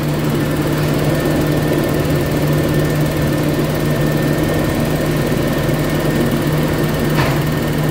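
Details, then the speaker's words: Toyota Kijang LGX engine idling right after an oil change using 4 L of cooking oil instead of engine oil, old oil drained without warming the engine first; steady even idle hum, no knocks or ticks, slightly smoother than before. "Jadi iniu kita at Nyalakan setelah penggantian oli penggantian dengan menggunakan minyak goreng Untuk idle dan suara mesin kelihatan suaranya ini ya sedikit lebih halus daripada sebelumnya"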